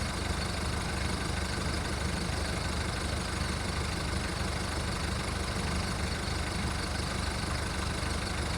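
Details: VW Golf Mk1 1.9 turbo diesel idling cold after five months of winter storage: deep, uneven diesel clatter with wavering beats, running rough while it warms up.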